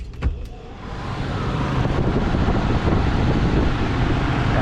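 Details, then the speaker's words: Crown reach-in bottle cooler, condensing unit: newly installed replacement condenser fan motor test run after wiring splice; a couple of sharp clicks, then smooth steady low hum, previously it made crazy noise. Normal fan motor run after repair. "it's nice and smooth you guys remember last time it was making some crazy noise"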